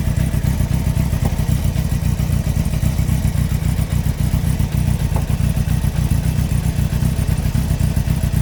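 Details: 2003 Yamaha R1 5PW inline-four, 41k miles: heavy low rhythmic knocking about three to four per second under engine clatter; cylinder 4 big-end bearing failure, cam chain, valves and top end fine; owner suspects harsh downshifts or false neutrals.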